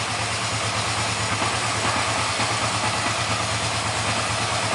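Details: 1987 Kawasaki 305, 11,000 miles, revived after sitting outside over 3 years, new spark plugs, choke off: even, steady low putter at idle with no knocks or misses; running smoothly.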